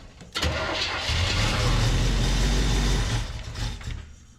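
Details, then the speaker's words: 1973 square-body truck, first start after a cam swap, fuel primed: laboured cranking catches, then ragged uneven stumbling revs before dying; hard start from incorrect ignition timing, which is then adjusted until it runs well. "fire we ain't got no fuel hold on we're loose here change your timing a little bit"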